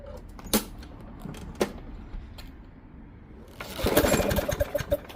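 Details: Discarded Craftsman Gold mower, Briggs Quantum 6.75 engine, front self-propel, grimy and oily, first run: uneven popping with gaps and stumbles, skipping; plug found really rusty.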